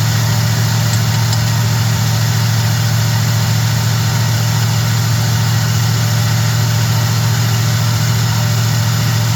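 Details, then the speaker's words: Small block Chevy truck after swapping a sat-up Edelbrock carb for a Holley, first idle after the swap; steady, even low rumble with no misses, knocks or hunting over nine seconds, idle set without tachometer; normal idle. "It ain't got a RPM gauge, but it sounds pretty good, though. Listen, you hear that? It's idling for the first time."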